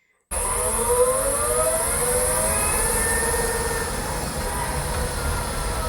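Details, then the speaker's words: Kia e-Niro driving on the road: wavering high whine from the traction motor rising and falling with speed over tyre roar, like something stuck underneath; cause unconfirmed, and the dealer ignored it at service. "a whining sound. Have you ever had something stuck underneath your car, like a card box? That sound, yeah, the electric motor has that sound."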